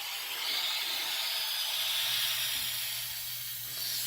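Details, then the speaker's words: Hot water heater tank being flushed with the breaker off; after the water was shut off, a continuous, even high hiss with slight swells as air is drawn through the open drain valve, which the owner can't get to stop. "Yeah, it is off. It's just going to be a lot of air coming through it for a while."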